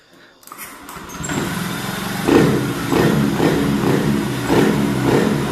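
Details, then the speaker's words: Honda Scoopy/Beat ESP scooter that had lost ignition, after replacing the TPS instead of the ECM: it catches after a brief electric-start crank and settles into an even idle with smooth throttle blips. Now runs and revs normally. "sekarang udah normal kembali motor juga bisa digas"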